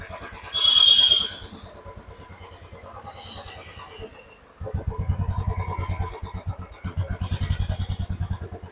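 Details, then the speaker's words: Royal Enfield BS6 Bullet with no-start, MIL off and silent fuel pump, after replacing the ECM (programmed UC350): brief whine, lull, then catches into steady thump about four per second; normal start and idle. "ഇനി നമുക്ക് വണ്ടി ഒന്ന് just start ചെയ്ത് നോക്കാം കേട്ടോ."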